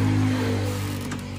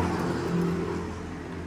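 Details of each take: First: Honda Beat ESP (K44) scooter after correcting swapped intake and exhaust rocker arms from an engine rebuild. Electric starter catches at once and settles into a steady, even low idle with no roughness or knocking; normal start. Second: Honda Beat ESP (K44) scooter after engine rebuild, battery and valve clearances fine. Electric starter gives only short stuttering "jijit" bursts and will not spin it up, though kickstart starts it: intake and exhaust rocker arms swapped, defeating decompression.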